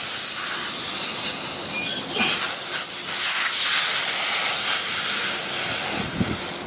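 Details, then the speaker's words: BMW E92 M3 tire with low pressure warnings, wheel removed: a steady sharp hiss of air escapes a nail puncture, surging as the hole is reamed for a plug. "Tough part. I hear the air seeping out right now."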